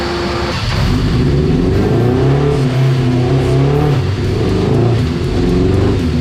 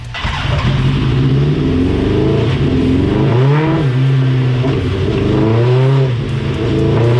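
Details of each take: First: Dyno pull on a 1987 Suzuki GSX-R 1100 carbureted four before rejetting: deep, thick roar under load with a soft, blubbery edge, running very rich for years after an exhaust change and a jet kit fitted by a shop. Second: Dyno pull on a 1987 Suzuki GSX-R 1100 carbureted four after carb cleaning and rejetting: loud, even exhaust drone rising cleanly under load with no stumbling or popping; last run smooth, earlier run choppy, air/fuel good.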